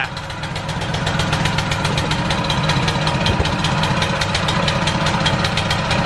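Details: ETQ high-pressure fire pump small single-cylinder engine, after cleaning and fresh fuel: quick, even popping beat holding steady with no misses or stumbles; running cleanly.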